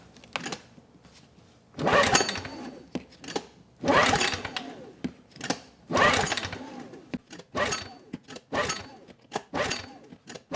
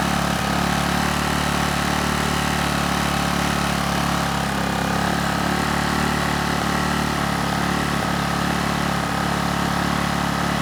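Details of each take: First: Honeywell HW2000i 2000 W inverter generator, cold next morning, choke and fuel on: several recoil pulls about every two seconds, quick whirr, no firing; cause was a spark plug gapped far too small. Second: Honeywell HW2000i 2000-watt inverter generator, circa 2002, hard starter, under a 1500-watt load: steady, even drone holding one speed with no hunting or surging; hertz and voltage rock solid, runs well.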